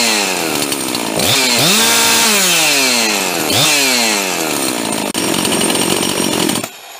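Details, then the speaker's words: Husqvarna 350 chainsaw rebuilt with a 42mm 346XP closed-port top end, first run with two-stroke oil as assembly oil: crisp revving through two blips, holding high speed cleanly, then dropping to idle. Runs healthy, but pulls less hard than expected. "well that's it I'm actually a little disappointed I thought that would pull a whole lot of harder"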